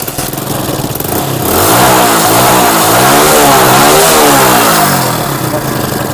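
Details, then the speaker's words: Splendor motorcycle, earlier slow to gain speed; plug, HT coil and timing were checked. Fault was a half-engaging carburetor choke, which was removed. The engine now revs cleanly to full throttle and settles back. Normal revving. "अब मेरे मित्र देखिए, वो जो आवाज़ थी वो बिल्कुल, यानी अब पूरा फुल एक्सीलेटर ले रहा,"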